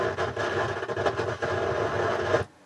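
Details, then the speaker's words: Harman Kardon HK580i receiver on the bench with a test tone: steady rushing hiss in the left channel, independent of volume, only with the subsonic filter engaged, cutting off abruptly into quiet; suspected fault in the subsonic filter circuit. "there's a lot of noise in the Left Channel and it's a rushing uh sound doesn't sound good so the problem with this is the subsonic filter"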